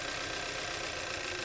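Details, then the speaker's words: 2016 Kia Optima with a strong misfire, valves replaced about a year earlier: with one coil unplugged during diagnosis, a rough, lumpy idle with an uneven chuffing beat as it runs on only two cylinders. The computer flagged cylinder 4. "see that because now it's only running on two cylinders plug it back in it starts running better now we're back to running on three cylinders"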